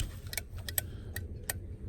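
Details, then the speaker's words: 1991 Ford F-150 I6, key in accessory, wiper switch on: sharp irregular clicks, five in two seconds, over faint hum, motor not running; wiper control clicks but wipers dead, cause not yet found. "turn it on turn it on clicking it's the governor governor's clicking so we're gonna do is clicking this good that means something's working"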